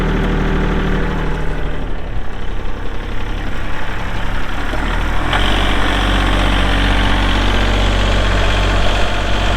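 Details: 2022 Kubota L3901 hydrostatic 4WD diesel tractor, 219 hours, started up: steady, even diesel clatter settling into a low, regular idle with no knocks or misses; healthy engine.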